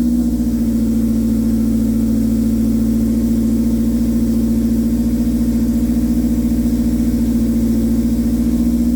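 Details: K24-swapped Toyota AE86, after fixing a hard start and sputter-and-die on throttle: smooth, even idle with a steady drone and no misses, stumbles or knocks. Normal idle.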